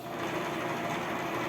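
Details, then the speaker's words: Bias-tape cutting machine, previously noisy, after lubrication and a belt replaced the day before: small motor hums at a steady even pitch with no knocking, scraping or labored drag, running normally. "que ela já parou o Rido já não tá mais com aquele Rido tá funcionando tudo normalmente"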